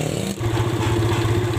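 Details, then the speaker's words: Yamaha Vega R New, single-cylinder, idling with a steady, slightly lumpy thump and light clatter; intake manifold gaping from loose bolts leaks air, a cause of stalling on long rides; fixed with carburetor service, bolt tightening and replacement CDI. "jadi si intake ini mangap ya kebuka jadi bautnya itu nggak nggak kenceng ya jadi si intake ini nih kakinya itu rembes ya"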